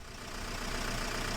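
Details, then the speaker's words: 2010 Renault Megane 1.9 dCi, crank no start with P0090: after repairing a bad wire to the fuel flow solenoid valve it starts and idles with steady even diesel clatter; valve draws about 742 mA. "try that see if it starts there we go so we'll call that effects bad wire brilliant"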